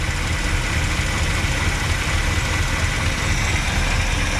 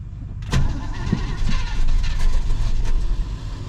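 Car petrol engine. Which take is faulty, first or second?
second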